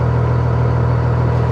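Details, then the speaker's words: Old car at auction, unexpectedly running: deep, steady low rumble with even beat, no knocks or misses; idling smoothly and healthy, "purring". "I didn't expect it was going to do do anything and here it is sitting here running actually purring like a"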